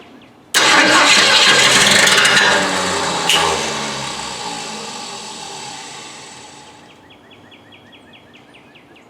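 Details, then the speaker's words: Mustang Fastback project trying to start: harsh metallic grinding with loose rhythmic womp while cranking, then ticking rattle winding down; something hitting externally, suspected around the flywheel, not internal to the engine. "all right guys we have some spinning metal on metal action so we need to check that out now it sounds like you hear that womp womp womp sound when this thing is trying to start"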